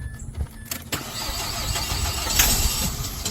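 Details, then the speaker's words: Car no-start: with starter fluid sprayed into throttle body it cranks a few turns, fires and keeps running, showing a fuel problem; fuel pump previously diagnosed as failed. "Put some starter fluid, it cranks up, you have a fuel issue."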